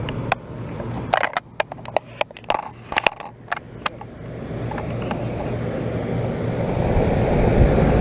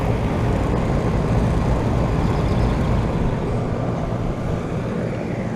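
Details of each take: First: 2012 Bryant Legacy air conditioner outdoor unit restarting after coil cleaning, 88°F day; clicks then smooth steady fan and compressor rush, better airflow, compressor more audible, some rattle; running normally. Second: 2012 Bryant Legacy air conditioner outdoor unit after spring cleaning: deep steady compressor and fan hum, compressor more audible, airflow better, with a loose buzzy cabinet rattle that is worse than before; source unknown.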